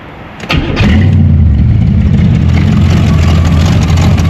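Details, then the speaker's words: Quad cranks briefly and starts instantly, then settles into a steady, even, deep idle before warm-up, after recent tuning and timing work. "You guys see that? You guys You guys hear that instant start?"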